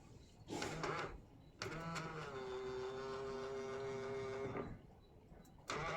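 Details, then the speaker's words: Honda Freed power side mirror after repair (knocked by a bus, made odd noise when folding; fixed with metal glue): smooth even motor whine as it folds, no grinding or clicking; normal operation. "Alhamdulillah bunyinya hilang solusi teratasi Makasih ya guys"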